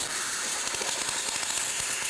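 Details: Multipplaz 3500 plasma welding/cutting torch, set between 150 and 170 V, arc just established after approaching to 2 mm: steady, even high hiss with no sputtering or crackle; plasma arc running normally.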